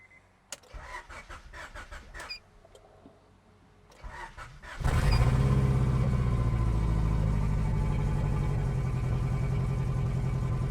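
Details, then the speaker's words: 1994 Honda Accord turbo engine with ring land problem, burning oil: cranks, catches, settles into lumpy uneven idle with steady stumble, missing on a cylinder; owner suspects exhaust leak at turbo manifold, plans engine replacement. "all righty so now I'm going to start up the car to let you hear what it sounds like it sounds pretty bad to be honest but that's because you know it's missing on a cylinder"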